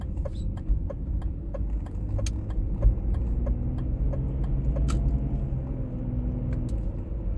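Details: 1996 BMW E39 523i automatic (pre-facelift): low droning hum under road noise at steady cruising speed, heard at 50–60 and 70–80 km/h, with occasional ticks; source unclear.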